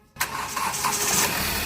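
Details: Hyundai Verna engine after timing chain work and timing reset: quick crank, then it catches cleanly and settles into a steady, even run with no rattle; a normal start.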